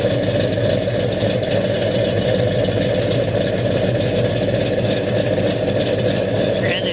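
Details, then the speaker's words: 1969 Dodge Dart with newly installed 440 V8, 4-speed, TTI headers, electric cutouts closed: steady throaty idle with even beat, no ticking or knocking; idling healthy. "I'll crank it up and let you listen to it. Sounds pretty good. Runs good. Sounds good. All sounds good coming out the back."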